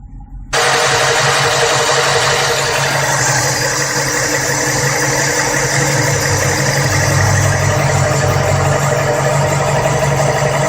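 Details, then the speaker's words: 1989/90 Chevrolet Monza SL/E after camshaft, rocker and hydraulic lifter replacement to cure a top-end noise, warmed up and idling without throttle: a smooth, even idle with no tapping or knocking from the top end. Normal idle. "como pode notar já não escuta mais o barulho de uma ligada nele a aquecida não acelerei somente utilizei o jogador vai esquentando"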